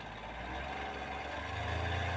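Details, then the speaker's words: Hyundai Grand i10 diesel (2015, BS4) idling, before repair; steady idle with a faint light tak-tak tapping. The mechanic suspects the timing chain but will check whether it is piston noise. "देखिए सुनने में थोड़ा अजीब सा sound लग रहा है तो साउंड सुनिए टाइमिंग चेन लग रही है"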